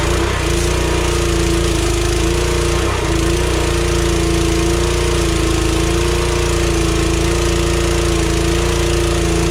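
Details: DeWalt pressure washer after replacing pump valves broken by freezing over winter: even, steady engine drone at constant pitch with no knocks or surging. Pump running smoothly under load.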